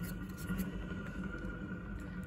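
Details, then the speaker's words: Electric drive motor from a 2018 car, removed and hand-spun, gives a rough gritty rumble with faint scraping: the end bearing is gone, possibly the other too; the reduction gear oil is very dark. "you can hear the bearings have gone that end bearing is definitely gone possibly the other one"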